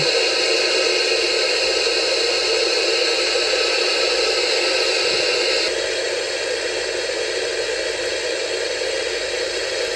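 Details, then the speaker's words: Auction-junk portable analogue TV on a bench power supply, drawing two amps with smoke coming out the back: steady flat hiss of static. Static hiss from a failing TV. "it's drawing two amps and the - sounds like it's dying and there is smoke coming out the back"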